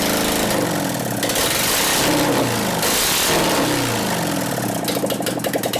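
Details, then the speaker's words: 2001 Gilroy Indian Chief V-twin race bike being rebuilt, run with no exhaust pipes: uneven lumpy revving that stumbles on throttle blips as one cylinder drops out; suspected ignition fault causing a dead cylinder, intermittent, not confirmed. "I bet it's got a dead cylinder from ignition. Something here, right? You can tell it wants to hit."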